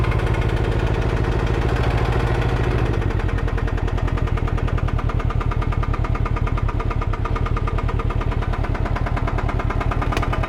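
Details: 2021 Can-Am Ryker 600 idling deep and steady, with a hard, regular engine knock on every beat.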